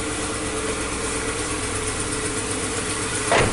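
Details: Supercharged Nissan Note three-cylinder petrol engine idling unevenly with a lumpy beat from a cylinder misfire, check engine light on, coils and spark plugs already replaced; diagnosed with an HS502 two-channel scope.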